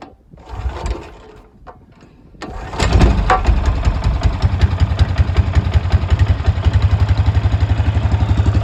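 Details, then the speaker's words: Honda small engine driving an Eaton series 11 hydrostatic transmission in a homemade inboard boat; owner says it runs poorly, carburetor not checked: fires after a few pulls, then idles with uneven, lumpy pulses about two to three a second; rough running, cause unconfirmed. "And at full throttle, the engine was between like 36 and 4,000. It wasn't really running quite consistently, but the transmission was spinning roughly 2,000 RPMs."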